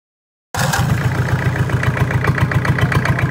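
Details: Toyota 7K engine idling: steady idle carrying a regular tapping about four beats a second over the engine hum; abnormal noise, cause undetermined.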